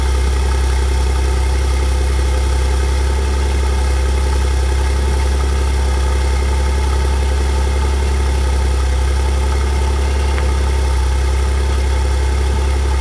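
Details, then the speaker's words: Steady engine idle with a loose, uneven tinny rattle from the tailpipe: a bracket in front of the muffler has broken loose, later repaired with J-B Weld high-heat epoxy putty. "Okay, I found the problem. I got a bracket right in front right there, and this got it's done come loose. I don't know if you can see it right there. It's right in the back, and it's making that rickety rackety sound that you hear."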